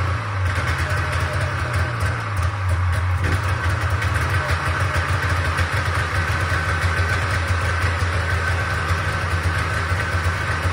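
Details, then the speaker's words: Old Polaris Trans Sport two-up long-track two-stroke snowmobile, unrun 10 years, after fuel system work: steady even burble at idle, no misses; thermometer readings ~203 and ~224 show both cylinders firing, but too loud. "so it's running on both cylinders but apparently it's too loud"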